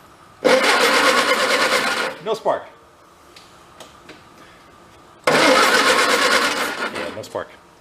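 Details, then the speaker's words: 1953 MG TD parked in a barn since 1979 being revived: two bursts of even cranking, about two beats a second, never firing; power reaches the coil but no spark suspected, owner suspects bad points; cranks, no start. "nope possibly we don't have spark we got power to the coil but it doesn't mean we have spark"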